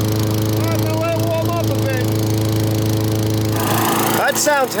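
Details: Craftsman 21-inch mower with 6.2 hp Tecumseh engine, after service, tune-up and a new spark plug, warmed up: small single holds a steady, even buzz at constant speed with no misses or knocks; runs healthy.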